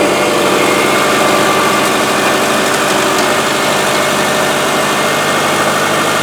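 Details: Subaru after repair of a broken timing belt that had bent the valves (heads reconditioned), running about 15 minutes: even, steady idle with a smooth constant hum, no ticks, knocks or misses; healthy.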